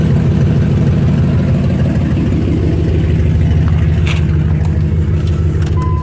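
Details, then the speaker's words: Dodge at idle with loud, uneven, low raspy chuffing puffs: exhaust leak at the manifold where the flange rusted and broke, a bolt broken, exhaust not tight against the doughnut gasket. "so that's what it sounds like the reason it sounds that way is because we're the exhaust mounts up to the manifold this flange broke and exhaust isn't tight against the doughnut so I'm getting out pretty bad leak right there"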